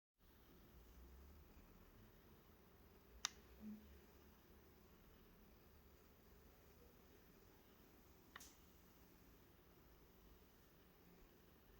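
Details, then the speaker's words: Hohem iSteady M6 gimbal in a quiet room: faint steady motor whir with sharp, irregular clicks when tilted faster. "if I don't talk like it's very quiet in my kitchen then you can very nicely hear the noise from the motor and every now and then you also hear this clicking noise when I do a faster movement"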